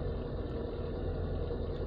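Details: Dacia, left-hand drive, just fitted with a new distributor cap and rotor arm after running problems, cold start on choke: low, even idle hum without misses or stumbles; engine runs smoothly, normal idle.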